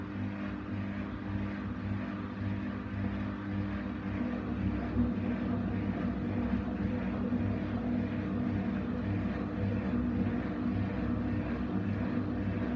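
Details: Essentials C510WM14 washing machine during fast spin, loud steady rumbling roar with low drone; failed drum bearings.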